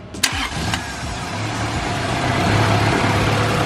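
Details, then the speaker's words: Honda Civic EG hatch, just after the idle control valve was restored by fixing a faulty jumper wire feeding the injectors and sensors: starter cranks briefly, engine catches and settles into a smooth, even idle with a steady hum; normal healthy start. "it's idling wow that sounds like an eg donut"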